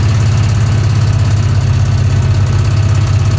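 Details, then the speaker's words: 1966 Chevy Impala V8, long-flooded car on its first highway drive in over 20 years, cruising: heavy rumble with loose uneven clatter, rough knocking; cause unclear. "Oh, it sounds so bad. So bad."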